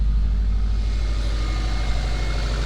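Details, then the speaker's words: Subaru WRX bugeye after replacing a misfiring coil pack with a new Subaru part: on restart, steady even low idle rumble with no stumble or skipped beats; runs quiet and smooth. "all right she started right up sounds good quiet but hey"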